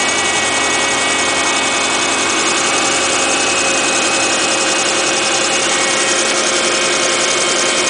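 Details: 2008 Subaru Impreza Outback Sport with 52k+ miles, at idle after starting: a busy, hissy upper layer and loose, uneven ticking about three to four per second. Cause unclear; it otherwise runs fine.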